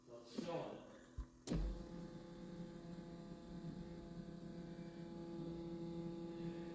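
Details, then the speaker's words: 1981 Datsun 280ZX parked nine years over a parasitic electrical drain, new battery, fresh fuel and oil: after a click, steady low electric hum with faint whine for five seconds; fuel pump sounds noisy. "that fuel pump is noisy"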